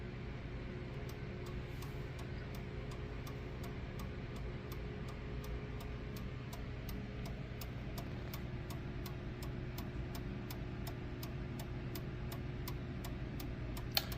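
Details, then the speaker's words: Pendulum clock just after its first service, set swinging on a desk with a garage heater humming behind: crisp, even ticks about two per second, so it sounds healthy, though timekeeping is unverified. "Sounds pretty good. I don't know if it's keeping time yet, but sounds like it's ticking good."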